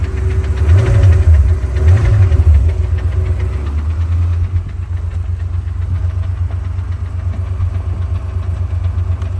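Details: Porsche 928 idling low and steady with a light, regular clicking about three times a second from the transmission; it goes away with the clutch held down and in some gears.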